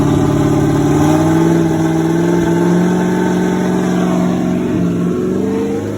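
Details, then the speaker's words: Nova race car engine, first run in 38 years after fuel priming, timing set and a cracked fuel pump leak fixed: starts instantly, with a steady note that climbs and eases back smoothly with throttle and even firing with no misses; normal running. "we are so excited that the motor just runs like a top it just will bust off as soon as you turn it over"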